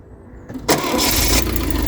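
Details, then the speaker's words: 1972 Triumph Dolomite 1850 automatic, first start after full ignition overhaul with new electronic ignition module and ballast resistor: catches first turn, settles to steady even idle with a little choke, no misfire or stumble; healthy start. "That sounds sweet as a nut, that engine, doesn't it? Sounds sweet, doesn't it?"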